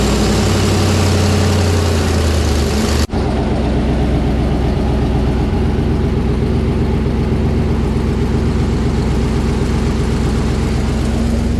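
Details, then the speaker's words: 1984 K5 Blazer V8 on Holley Sniper 2 EFI, just tuned, first startup after conversion: deep, steady burble at idle after a brief cut, even beat, no misses or knocks; good running motor, normal idle. "Good running motor. Sounds good."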